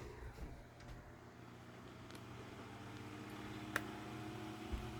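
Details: Galaxy (Lasko) 9-inch oscillating desk fan model 2154, grey, circa 1990s, running on high with oscillation: quiet, steady motor hum with an even blade whoosh and only a few faint ticks; normal.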